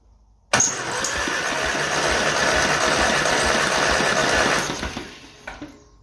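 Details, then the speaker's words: 1955 Ferguson TE20 TED TVO tractor engine, plugs out, cranked for a compression test on cylinder two. The engine has been out before. Even, steady cranking beat with no drag. It reads 100, healthy compression. "100 is unbelievable. That's cheating. I'm very very very impressed."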